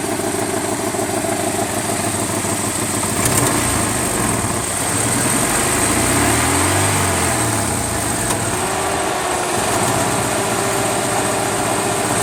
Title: Ticking noise